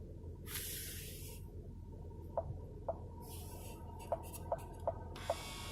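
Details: 2015 Ford Explorer Sport with dual temperature control: thin steady whine with scattered sharp clicks and bursts of vent air when temperature changes; failing blend door actuator, passenger side staying cold on heat.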